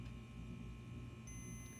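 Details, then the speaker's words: Multimeter continuity test on the ignition key switch of a Pocher Mercedes 500K Cabriolet model: with the key turned on, a steady low beep comes in about a second in and holds, so the switch closes properly. "I don't know if you can hear that it's kind of a low beep but you can see we do have continuity now"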